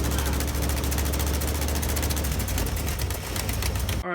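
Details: 1977 K10 truck with a 350 small block Chevy, idling with a rapid sharp puffing tick about ten times a second over a deep V8 rumble: exhaust leak at the header, where the header-to-head gasket was blown out.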